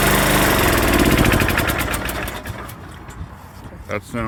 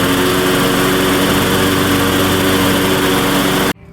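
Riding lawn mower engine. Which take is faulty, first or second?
second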